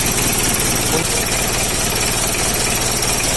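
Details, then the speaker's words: Mitsubishi L300/Isuzu Panther 2.3 diesel idling roughly with uneven thumping knock, before tune-up; mechanic aiming for an even, consistent diesel clatter. "Lihat, itu suara mesin yang berbeda, teman-teman. Ya, begitulah kedengarannya, teman-teman."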